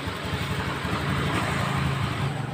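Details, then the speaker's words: 2015 Honda Scoopy scooter after replacing the piston and honing the cylinder scored by oil starvation: even, steady engine note with no knocking or rattle; the earlier roughness is gone. "Ini motor sudah nonton sudah hidup dan suaranya sudah halus nyari-nyari tidak ada suara sama sekali tidak seperti tadi"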